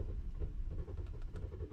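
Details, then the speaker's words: Car that won't start in the morning: low, uneven chugging as the starter turns the engine for almost three minutes without it catching; it eventually started after over four minutes of tries, cause unknown. "so i guess it's soon it's almost three minutes i'm starting my car and it still doesn't want to start"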